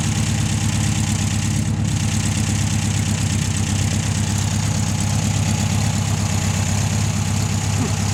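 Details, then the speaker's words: 1600 VW air-cooled engine after about 10 years sitting in salt spray, first start with improved earth, oil pressure present, rust blowing out the exhaust: steady, even low chugging idle with no knocks or misses; normal idle. "How about that? Gotta love them. Showering me with rust and shit out the exhaust."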